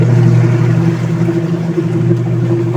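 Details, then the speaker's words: Union Lavamatic washing machine after gearbox (gear case) replacement for noise, tested with water: steady, even low hum with no knocking, grinding or catching as the drum turns; agitates smoothly, no leaks. "So malakas namang umikot. Ayan. Ayun oh. O lakas ang ikot niya."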